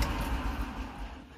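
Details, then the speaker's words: Warming-up engine, still a little cold on a 90°F (32°C) day, runs with a low, even rumble and no misses once the choke is back on; fuel mixture just right, healthy running. "there we go that's how you know it's right"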